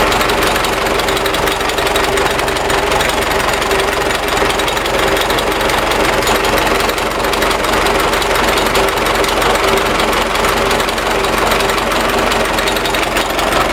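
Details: MTZ tractor diesel engine running: rough loud clatter with uneven hard knocking mixed through; engine knock inside, cause not confirmed.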